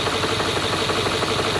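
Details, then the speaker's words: 2011 Land Rover, non-starting car restarted after fuel change, new oil and battery charge: normal roar then fast hard machine-gun-like clatter; loud engine knock, timing system fault suspected with one cylinder low on compression. "随着第二次尝试启动发动机立刻爆发出正常的轰鸣声似乎一切都在向美好的方向发展直到下一秒发动机瞬间迸发出如同捷克式轻机枪一般的噪音"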